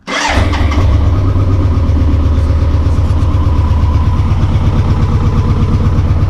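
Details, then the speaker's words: BMW K100 motorcycle, first start after 22 years in storage (since 1998), fresh petrol, choke used: cranks briefly, catches and revs, settles into steady even idle with no misses or mechanical noise; normal start and idle. "that's a good sign and it's revving"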